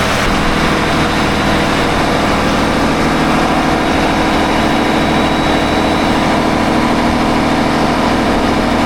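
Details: Engine on 47 ft Carver motor yacht mid-Gulf: loud steady run with harsh metallic rasp; plastic belt guard may have dropped onto a pulley, pulley area hot, belts tight; sounds like metal on metal, suspected pulley bearing failure.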